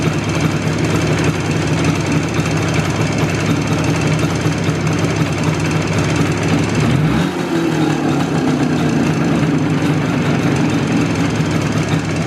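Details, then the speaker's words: IZh Jupiter two-stroke twin with Kent pistons in cylinders bored to 0.2 mm clearance, fairly well warmed up, no thermometer: hard dry knocking at idle and on a rev blip, which unlike typical ring disappears under load; loose piston suspected. "кстати звук этот в отличие от типичного звона который звонит именно под нагрузкой этот звук наоборот под нагрузкой пропадает"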